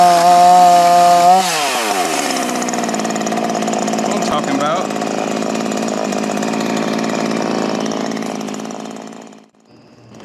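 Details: 16-inch Ryobi RY3716 chainsaw, unused for years, after carburetor and chain replacement on preliminary settings: a high steady buzz drops to a lower, even running note that holds steady, so the saw runs cleanly.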